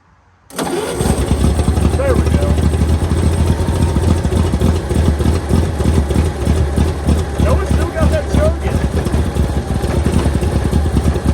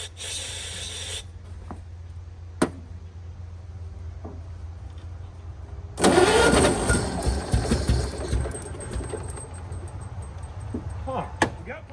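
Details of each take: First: 1923 Franklin Model 10, sitting about 76 years, first run: catches and settles into a steady, loping idle with an even low beat, slight blow-by visible; runs well. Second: 1923 Franklin Model 10 that sat at least 76 years: the starter churns steadily with only faint firing and it never catches. It has spark, but no fuel is reaching the carburetor.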